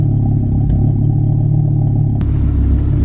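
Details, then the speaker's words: Mk6 VW Golf R, big-turbo FSI, started with a possibly weak battery: loud, deep, lumpy idle with the odd stumble. Slight misfire at idle, with only about -5 vacuum and a strong fuel smell. "i'm trying to imagine my the gray are the gray art would not be this loud just idling like that it is misfiring a little bit it sounds like"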